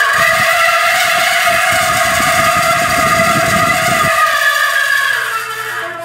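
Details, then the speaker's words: Big household electric fan: a loud, wavering, high-pitched squeal like an elephant trumpeting rides over the fan's hum; cause not identified. "My elephant electric fan. You wanna know why? Sounds like an elephant."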